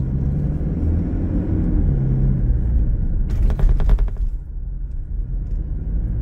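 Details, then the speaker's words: Toyota SW4 while driving: quick burst of hard plastic taps over road rumble; unlatched passenger seat belt buckle knocking the B-pillar trim; stops when buckle is latched or turned. "o barulho que esse barulho que Vocês ouviram ali é justamente isso é a fivela do cinto de segurança batendo ali na carenagem da coluna ali da coluna B da caminhonete"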